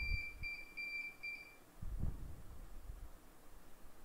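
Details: CP Plus CCTV DVR: high steady beep pulsing about four times then stopping; suspected missing-hard-disk alarm, cause not confirmed.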